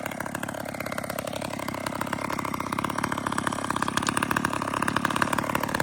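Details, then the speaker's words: McCulloch chainsaw cutting a tree: the small two-stroke buzzes fast and uneven, its pitch wandering and sputtering instead of holding steady; it runs rough and also has a clutch issue. "Listen to that saw run. It's got a clutch issue, too."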